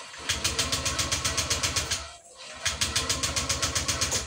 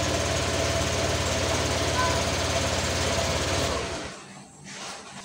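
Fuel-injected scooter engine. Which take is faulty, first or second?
first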